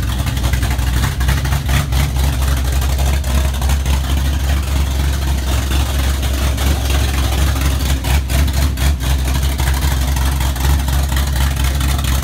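Deep, steady V8 idle with a few blips of throttle; the rumble stays even and smooth with no ticking or knocking. Sounds healthy.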